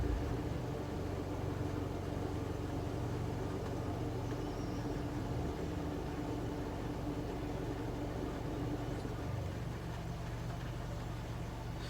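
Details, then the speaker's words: 2017 (67-plate) Nissan NT400 Cabstar diesel, warm after about 5 minutes running, idling stationary with no feet on pedals: uneven, lumpy beat with occasional stumbles; idle misfire, dealer visits found no fault, cause not yet found. "The engine's been running for about 5 minutes, and if I sit stationary or come to traffic lights, it does this."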